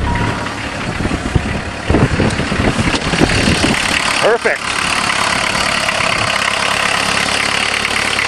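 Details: Diesel caravan van with a converted Jetta engine, high kilometres, cold start after hand-priming an empty injection pump: a loud, steady diesel knock at idle with a few louder thumps early on. This is the normal cold clatter of a healthy engine.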